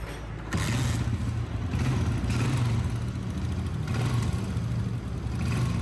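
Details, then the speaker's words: Honda CG 125, 2011 model, after top overhaul for noise and smoke, oil pump checked and silencer washed: low even single-cylinder idle thump, smooth steady beat, only faint top-end clatter; normal idle. "इतने काम में engine की इतनी ही आवाज़ clear हो सकती है और वो अल्हम्दुलिल्लाह हमने की है।"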